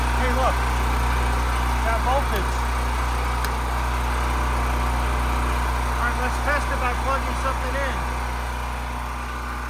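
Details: Champion 3500W generator from 2013, never used before, with fresh oil and ethanol gas, started on choke. Steady, even engine hum with no knocks, misses or surging. It runs smoothly and makes power.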